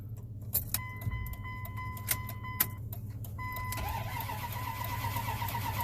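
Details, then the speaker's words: 1998 Dodge Ram 1500 crank-no-start after new crank sensor, no communication issues, ASD power dropping; key clicks, chime, steady cranking churn that never fires, scope shows no crank sensor square wave: crank no start, no crank sensor signal. "Nothing. No square wave. So, review that quick. Let's just do it again. Nothing. No square wave at all."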